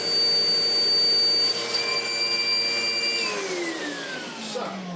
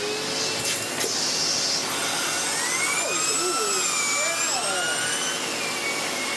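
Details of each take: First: Sebo X4 Pets Eco upright vacuum before service: a shrill, steady high whistle over the motor roar slides down as it spins off, blamed on a missing gasket. It still runs, probably needing a vacuum-out and new bags. Measured readings of 70 and 12.9. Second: Sebo X4 Pets Eco (Automatic X4) upright vacuum, free and fully serviced and refurbished, running its turbo tool: a steady high airy whine as the brush spins up smoothly and evenly, no rubbing or rattle; normal running.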